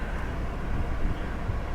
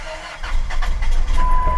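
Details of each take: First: Hail-damaged flex-fuel (E85) car with changed oil: low, even rumble with no misses, knocks or ticks; it runs good and goes right into gear, both forward and reverse. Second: Salvage-auction van listed as runs and drives: low, uneven, lumpy rumble with an irregular shake that makes the door bounce; it runs but not well, and the cause is unconfirmed.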